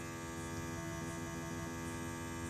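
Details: LA4440 amplifier board with USB input: constant low buzzing mains hum through the speaker at steady level; earth/ground loop noise.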